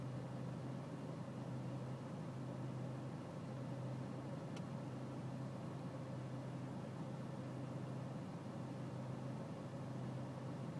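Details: BMW E46 320cd diesel at low engine and outside temperature, ticking over: low, steady drone with slight unevenness in the beat; a rough cold idle, cause not yet pinned down.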